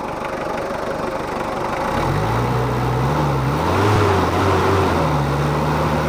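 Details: Mitsubishi Kuda diesel after suspension work, differential ratio change and injector nozzle replacement: steady, even diesel clatter settling into a smooth idle at about four beats a second, with no knocks or misses. Healthy idle.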